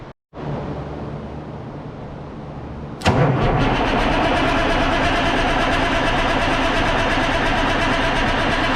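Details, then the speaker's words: 1963 Diamond T 931-CN cabover semi diesel, unstarted for one to two years: slow, labored cranking about three seconds before catching and settling to steady run; batteries thought charged were weak, given a little charge. "i thought those batteries are charged up but uh obviously they weren't so i got a little charge on here let's see if we get this little girl fired up here quick come on i need more battery hang on"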